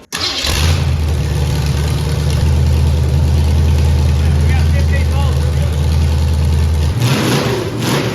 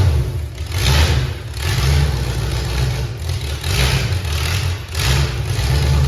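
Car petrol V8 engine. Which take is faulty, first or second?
second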